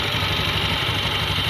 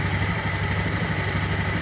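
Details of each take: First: Honda Beat ESP scooter that often stumbles and stalls, revs raised; pressing a harness area with rub marks chafed against the body makes it sputter and die, revealing a chafed-wiring short cutting the engine. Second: Honda Beat ESP scooter with a history of stumbling and stalling, cold idle at about 1,400–1,500 rpm, 42° engine temperature; steady, even low putter with a fast regular beat, no misses or knocks, healthy idle.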